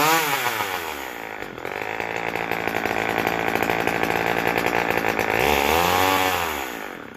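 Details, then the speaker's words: McCulloch Power Mac 6 two-stroke chainsaw, first run since 1993–94 after carb and fuel system rebuild, soaked air filter it dislikes; revs up and settles, crisp and even, no misses; runs healthy, needs more carb tuning. "Got some more tuning to do, but sounds good. Doesn't like that air filter."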